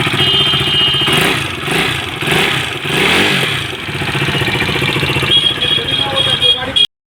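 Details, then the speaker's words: KTM RC 390 single revving: quick, light ticking from the top end follows engine speed; teardown found worn rocker and cut camshaft caused by an oversize valve shim. "Hello guys यह देख सकते हैं हमारे पास आई है RC 390 इसके engine में sound है टिक टिक टिक टिक"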